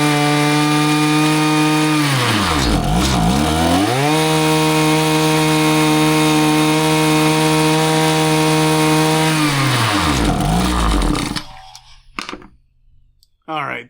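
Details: Husqvarna 525PT5S two-stroke pole saw after a carb refresh, with both mixture screws set a further quarter turn rich: the buzzy note sags and stumbles twice as the throttle opens, then recovers and cuts out. It bogs off idle and ignores low-speed adjustment; cause unconfirmed, possibly not the carb.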